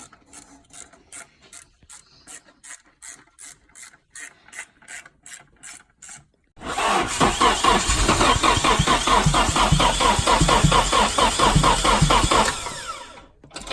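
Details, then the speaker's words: Nissan 240SX after timing chain and tensioner replacement, with the fuel pump unplugged: steady starter churn, a couple of beats a second, then a longer hard crank that never catches. The engine is cranking but not starting because it gets no fuel. "wait fuel pumps unplugged yeah all worried no all right put this fuse back in because can't start without gas"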